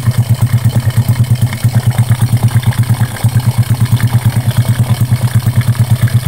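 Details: Honda Karisma after repair for white exhaust smoke and rough piston noise, with new piston fitted and valves set: steady, even low thumping about six beats a second, no knocks or ticks; normal idle.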